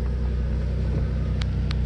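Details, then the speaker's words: 2002 Nissan Pathfinder at about 109,525 miles, first start after sitting 7–9 years, with new battery and fresh gas: low, steady idle with an even beat and no skips; smooth normal idle, no misfire felt. "is smooth I mean I don't even feel a miss"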